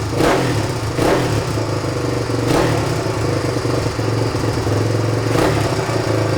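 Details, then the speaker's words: 1997 Suzuki DR350 single-cylinder dirt bike, accelerator pump missing, idle speed and mixture screws adjusted: lumpy idle with sharp pops every one to three seconds; unsteady idle with backfire, mixture problem suspected. "I spent more time than I should have trying to make this run right by adjusting the idle speed control and the mixture screw underneath the carburetor right here it's better than it was but still has an unsteady idle"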